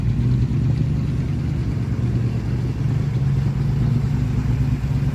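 Strong, even low rumble holding steady with smooth revs and no knocks or misses; the engine is running healthy.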